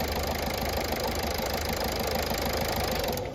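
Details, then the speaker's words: Toyota Etios diesel with all four injectors serviced after petrol misfuelling: steady, even diesel clatter at idle with no misses or extra knocks, then winds down at switch-off; running perfectly. "মার। দেখতেই পাচ্ছেন এখন গাড়ি perfect."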